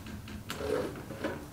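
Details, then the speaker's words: Diesel heater in a school bus priming its fuel line before first start: faint, separate soft ticks about every half second in a quiet room; normal dosing pump priming clicks. "Oh, it's pumping. I can hear it priming. So now I need to wait until I see it reach the heater."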